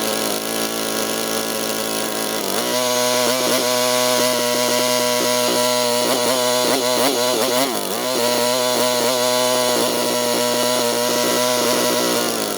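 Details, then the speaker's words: Pressure washer that wouldn't start since last fall, with fresh oil, a new air filter, a cleared clogged bolt and an automatic choke: it runs rough, surging and coughing with wandering speed, because the choke was stuck on and it runs too rich. "You saw that video out on the grass where it was just sputtering and coughing and really not happy."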